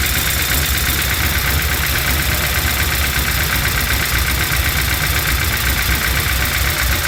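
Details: Chevy C10 with LS V8 swap, after reinstalling new lifters, head gaskets and heads: light ticking about four per second over a rough idle; valve train tap persists, code reader shows timing advanced, owner suspects cam not timed correctly at install.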